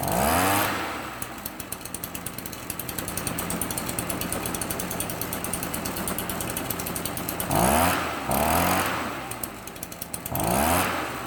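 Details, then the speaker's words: Stihl BR 400 backpack blower two-stroke, run outside after replacing a defective leaking carburetor with an aftermarket one, new air filter, partly cleaned spark arrestor: revs in bursts then settles to a fast even buzz, no leaks; normal running. "That sounded pretty good. I'm not seeing any leaks like I was out of the previous carburetor."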